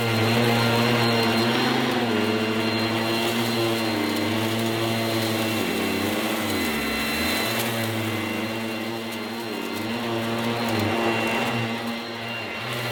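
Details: Goblin Roto 1980s mains-powered handheld vacuum cleaner with rotating brush, demonstrated after fitting the inner bag; loud steady high whine dipping briefly as the brush bites into dirt, then recovering; noisy but fairly effective, normal operation.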